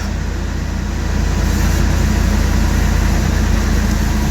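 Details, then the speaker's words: 1999 Ford Expedition XLT 5.4L Triton V8, just started after an oil and filter change, with the oil pressure gauge now up. Smooth, even low rumble settling into a steady idle with no ticks or knocks; healthy. "There she goes. Oil pressure gauge is up."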